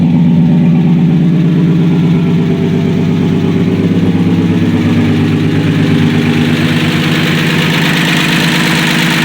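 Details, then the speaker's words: 1965 Dodge Dart 225 cid Slant6 after a cold start, unstarted for a couple of months: steady, even idle with a smooth low rumble, then a few clean free revs; normal and healthy. "But as you can see, it's idling quite nice. It hasn't been started up for a couple months, been in hibernation."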